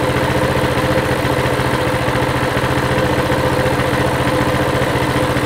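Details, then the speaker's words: Coleman CT200 mini bike with a non-adjustable carb (it took off when started because the idle was too high) idles after adjustment, dropping from 1900 to a steady 1730–1750 rpm with an even beat and no hunting; normal idle. "still a little high i can tell already yeah we're at 1900 that sounds better 17 30. on the money"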